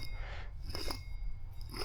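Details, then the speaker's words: Front wheel hub bearing from the driver's side of a 2008 Chevy Silverado 1500 4x4, spun by hand with no load, gives short gritty crunching bursts over a low room hum: really dry, worn bearings, unlike the smooth new hub. "Those are really dry bearings in there."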